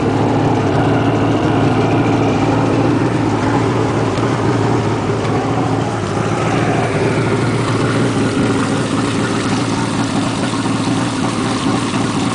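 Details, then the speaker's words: Two-stroke jet ski just started, cold, warming up: steady, even, buzzy idle holding without surging or misses; normal cold idle. "Now, as soon as you start it up, you still don't want to give it any gas because that is going to stall it. It needs to warm up. It's a two-cycle."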